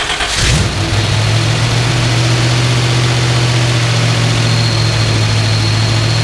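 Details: Twin-turbo Microsquirt-controlled 1976 Pontiac Trans Am with a four-speed catches and holds a fast, steady idle, lately about 2000 rpm, without dropping. Ignition timing is being checked; cause not confirmed.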